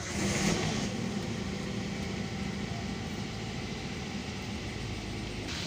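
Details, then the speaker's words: Used-car engine check on start: engine catches quickly after a short crank and settles into a steady, even idle with no stumble, miss or limp; normal start and idle. "Oke seperti ini jadi kearanya itu harus stabil juga mesinnya juga langsam Jadi enggak boleh pincang enggak stabil"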